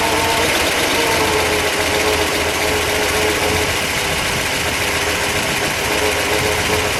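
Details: 1959 Chevrolet Bel Air, factory 348 CI V8 tri-power with three carburetors, 335 HP, 4-speed manual, restored original dual exhaust: even, steady V8 burble at idle, smooth exhaust note, no misses or knocks; normal healthy idle.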